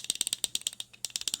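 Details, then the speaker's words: Pelican 1920 flashlight shaken: sharp tinny clicks in quick bursts, roughly ten a second, from loose batteries rattling inside the body. "Yeah. That's the batteries rattling around in there. Boy, was I disappointed, because that to me makes it just sound cheap."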